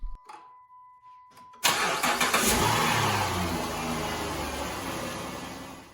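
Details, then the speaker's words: 2010 Dodge Grand Caravan 4.0L just after timing belt, water pump, bearings and pulleys replaced, no coolant added yet: short crank catches cleanly, settles to smooth even idle without ticking or squeal; engine quieter than before, healthy start. "but the engine's actually quieter at least you don't hear uh i guess all those bearings and all those uh pulleys that have been replaced"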